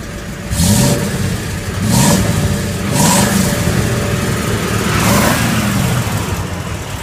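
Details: Ford F350 at first start after new headers and a large dual-inlet, 3-inch outlet muffler: four quick throttle blips, each rising cleanly and falling back to a deep, even exhaust note. Normal revving.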